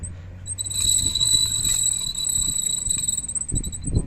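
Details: Car with a right rear wheel making noise while driving: a steady, piercing metallic squeal from the rear drum brake, where a loose brake shoe rubs the drum. Fixed by replacing the brake shoe retaining clip.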